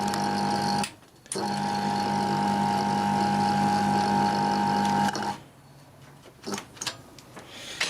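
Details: Fan motor with sleeve bearings that squeaked and coasted to a quick halt: steady even low hum, no squeak or rub, then switches off and winds down; bearings sound fine.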